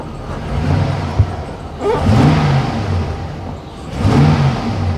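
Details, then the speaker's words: 2004 GMC Savana 3500 6.0 that would not crank, reportedly damaged by possums, after battery and relay work: engine catches and runs steadily with revs rising and falling smoothly, though check-engine light is on and a blown fuse remains unexplained. "let's see if it makes a difference let's see on the truth come on you can do it come on Hey she runs sort of"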